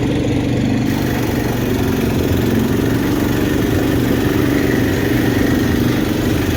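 Big block settles into a steady, even idle with a deep, smooth rumble and no knocks or misses; it sounds healthy.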